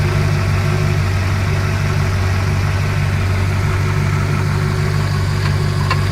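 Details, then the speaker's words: Ford LTD Crown Victoria V8 with 1994 Lincoln Town Car EDIS ignition swap, no distributor, tune unfinished; choppy lumpy idle because the 94 ECU expects AODE transmission inputs and thinks it is in Drive. "the idols a little a little choppy right now because the 94 ECU is expecting inputs from a aode transmission which is what the 94 town car came with so it thinks it's in Drive right now"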